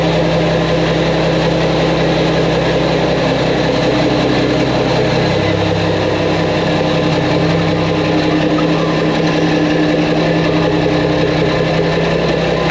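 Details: Mack truck diesel after engine reassembly with new parts, fluids checked, ahead of a road test: deep, even rumble holding a steady beat with no knocks or misses; runs smoothly, normal running.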